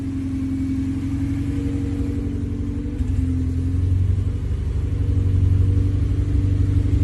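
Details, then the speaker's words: K24-swapped dirt car with a K-Pro ECU, after a dead injector was replaced with a stock one so it fires on all four: even four-cylinder burble at idle, clean rising and settling blips, no misfire; normal running. "oh baby like a song huh oh yeah that's how she's supposed to sound like a kitten"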